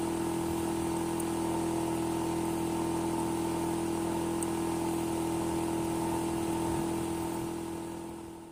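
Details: Hitachi air conditioner outdoor unit: a steady, loud hum with a pronounced droning tone throughout, noisier than a normal outdoor unit should be; cause not evident.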